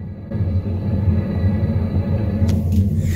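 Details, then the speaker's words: Homemade wind turbine on a skoolie bus roof, spinning two sets of chains to a generator in light wind; phone lying against the middle of the bus: deep steady droning rumble heard all through the bus, no knocks; tolerable. "you can hear that all through the bus I think you would probably get used to it after a little while and it wouldn't be that bad I mean I can talk just normal I'm not I don't have to shout or anything like that so it's not too bad"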